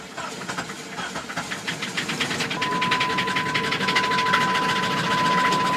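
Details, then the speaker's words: 2000 Jeep Grand Cherokee 4.0 inline-six, 262,803 miles, suspected blown head: uneven, labouring cranking pulses about three a second that never settle into a clean idle; sounds badly damaged, cause unconfirmed. "Doesn't sound good. He's trying. Doesn't sound good. He's trying."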